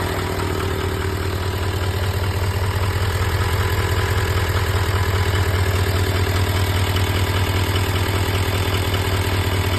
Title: L5P Duramax Ticking Noise